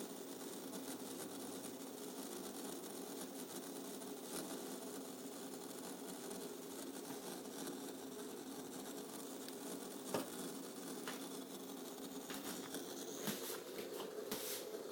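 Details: MCP655 water pump while bleeding the loop: steady buzzing whir with a rough, rattly edge and a few sharp clicks; cause suspected, not confirmed.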